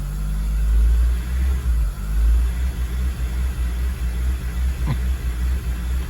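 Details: 2002 Acura RSX Type S with the K20 engine, after warm-up: idle rises and falls in slow, pulsating waves, a hunting idle caused by a defective IACV; replacing the IACV was the fix.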